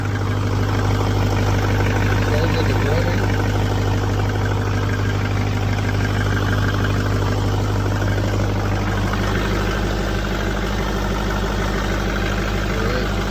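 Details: 2003 GMC Sierra Duramax diesel, first start during post-accident rebuild, batteries suspected weak: steady, even diesel clatter at constant low idle, no misses or knocks; runs normally.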